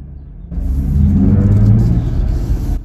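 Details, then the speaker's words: Jeep Gladiator pulling away from a stop; a low droning buzz rises with engine rumble under acceleration and fades as it eases off, fainter than usual. The noise comes from a particular area, cause unconfirmed. "i don't know if you guys are picking that up it's fainter than usual definitely coming from that area and still could hear it"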